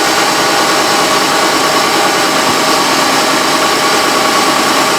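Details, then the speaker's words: Chevy truck (in for running-rich and hard-starting complaints) on a below-zero cold day, engine bumped to raised idle while the purge solenoid draws the fuel tank into vacuum for an EVAP test; smooth, even drone, no stumble or misfire, sounds healthy. "okay so right now we're gonna bump her up and you can see it's drawing the tank into a vacuum"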